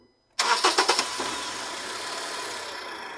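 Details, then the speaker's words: Honda CR-V cranked with the jack support removed: quick string of sharp metal-on-metal bangs as the engine catches, then settles to idle; bang on start. "vocês vão notar que ele vai fazer um tipo um estouro batendo ferro com ferro"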